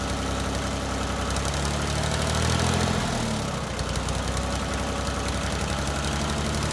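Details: 1988 Yanmar 336D diesel tractor, unrun for 6 years, after fuel, oil, air filter and coolant checks, throttle at three quarters; even fast-idle clatter holding steady with no misses or hard knocks, running healthy.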